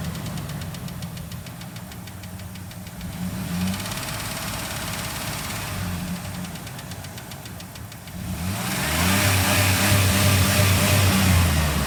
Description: 04 Dodge Dakota 3.7 V6 clicks all the way up to 3000 rpm and then goes away. Clicks in idle.